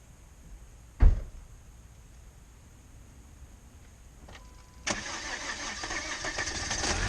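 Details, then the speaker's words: Oil-burning Volvo started while smoking heavily: a quiet spell and a knock, then a short crank, the engine catches and settles into an even idle with no misses, pulley spinning; normal start and idle. "It's running. As you can hear it, you can see it. There's my The only pulley that you can see from up top is spinning. It is running just fine."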